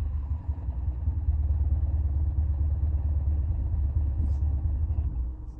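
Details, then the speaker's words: Petrol car converted to hydrogen, running on hydrogen on the stock ECU: low uneven labouring rumble with no clean rhythm. Rough running because the hydrogen bottle wasn't fully opened; gas pressure then raised to about 8 bar. "okay so what happened there was I connected the gas line but didn't actually turn on the gas bottle completely"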